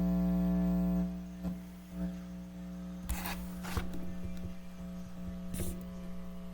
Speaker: so that sound you're hearing is actually coming from that I don't know how it works but supposedly it's basically like a membrane driven by magnetics and electrical current